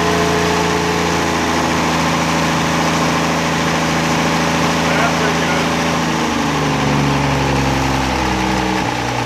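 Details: 1963 Rambler Classic 660 restarted after long storage, points, condenser and carburetor needing cleaning: steady mid-pitched idle with a brief pitch shift near the end, no knocks; it runs, but it stumbles off throttle, carburetor idle circuit suspected.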